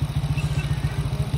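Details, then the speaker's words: Honda Click scooter, camshaft timing mark corrected after a previous mis-timing caused no power, idling to warm up and bleed coolant after water pump removal; even single-cylinder putter, no knocks or misses. "So ito ngayon, pinapainit lang namin dahil nag-bleed kami ng coolant dahil nga tinanggal namin yung water pump."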